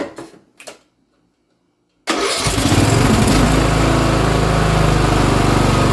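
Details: Briggs & Stratton Intek single-cylinder riding mower engine (Craftsman LT1000-type, 14–18 HP) after carburetor replacement, on choke: cranks, catches in two seconds, settles into steady, even beat; sounds much better, healthy run.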